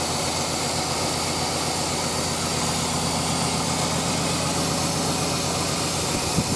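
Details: Suburban with TBI engine just fitted with a bored 46mm throttle body and fuel pressure gauge, hot day, steady even idle with smooth hum, no misses, hiss or ticking; normal idle, no leaks.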